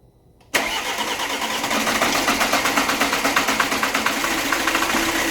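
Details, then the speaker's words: Alfa Romeo Giulietta diesel after rebuild, run briefly with no coolant in it: fires at once and settles into an even steady idle, no misfire; normal start, compression concerns eased. "so we'll let that run up put a couple second then I'm going to turn it off because there's no water in it"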